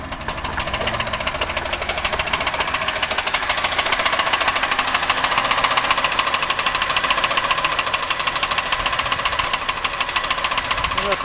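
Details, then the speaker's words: 1990 Buick LeSabre 3800, after ignition pack replacement; fast sharp ticking over uneven stumbling idle with skipping rhythm, still smells rich, misfiring on at least one cylinder; knock source (bearing, lifter or rod) unconfirmed, engine considered trashed. "Still smells rich. Yeah, it did misfiring on at least one cylinder."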